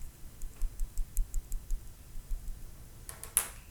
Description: My brand new Samsung Galaxy Note 9 is producing a Rattling Noise form the Camera and S Pen when I shake it.